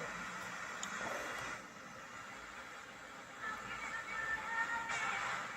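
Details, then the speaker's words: Old wooden Stern Recorder tape radio refurbished after a blown transistor was fixed and a potentiometer set to about half: clear broadcast plays steadily without crackle or dropouts; radio section receiving and working. "does the radio also work that does sound like the radio is working"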